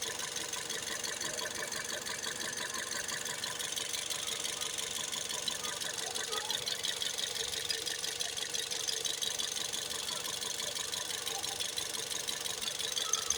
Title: Toyota 1NZ FE Vios 2008 2012 Engine Knock, Rattling Noise, Vibrate